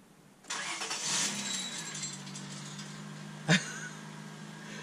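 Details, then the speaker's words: Honda Accord (fake NSX build) first start after an exhaust modification: engine catches with a crackly, rattly burst and a sharp clunk; broken catalytic converter pieces rattling back through the exhaust tubing toward the muffler. "the first thing you heard and I'm sure you guys heard that was the rest of the pieces that were in the front of the exhaust the cats that were broken out the cat pieces I could hear them rattling back through the tubing"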